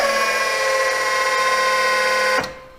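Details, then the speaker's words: Boss V snowplow hydraulic pump after the relief screw is set near 2,800: loud steady electric buzz at even pitch with no chatter; the motor chatter is fixed, thought to be the shaft chattering in its rear bushing. "as you can hear I'll go up front and run it but as you can hear from this my pump sounds just fine"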